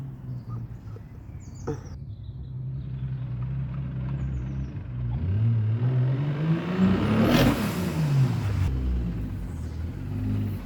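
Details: Turbo BMW E36 M52B28, 400bhp, just back from dyno mapping: the engine revs up cleanly and settles smooth with no knock or rattle. This is healthy running, recorded before the bottom-end knock later developed.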